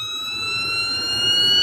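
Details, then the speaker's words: Stepper motor on a Pumotix controller, ramping toward about 60,000 IPM: clean high whine climbing with speed like a turbine; normal. "listen to the motor look at how she starts accelerating see how it's slow it is once again we're ramping up gentlemen sounds like a turbine"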